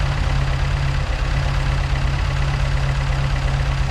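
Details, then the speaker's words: Mk2 Escort on carburettors only roughly set up to run and idle: loud, deep, unevenly pulsing lumpy idle, backfiring at the touch; rough idle because the carbs still need setting up. "The carbs still need setting up, so that's why they're a little bit lumpy, and they are backfiring at the touch."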